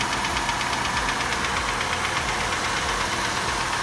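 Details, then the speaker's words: Chevrolet Malibu fleet car with the 3100 engine, bought at Copart and started cold, idles with a hollow, regular knock about twice a second: cold piston slap, common on these engines. "It's a very common issue with these engines, and every single one that I've bought, not just AT&T, but other ones that were not AT&T, they all do that piston slap when they're cold. It sounds awful."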